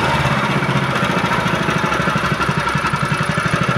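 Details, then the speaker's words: GX160/200 petrol engine after governor adjustment for high, unstable idle that revved up by itself: steady, even single-cylinder putter with no hunting or surging; idle now stable. "Dan sekarang kalaupun mau digas dia itu langsung stabil ya, tidak seperti sebelumnya langsung naik sendiri dia."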